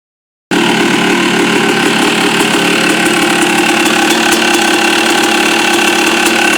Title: yz250 noise at idle